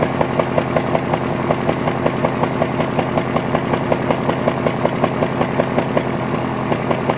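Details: Cold morning idle of a 2001 Honda Prelude, uneven ticking beat and recurring exhaust stumble; codes cylinder 2 and random misfire, black tailpipe, burns 1 qt oil per 1,000 miles; owner suspects worn piston rings, compression test pending.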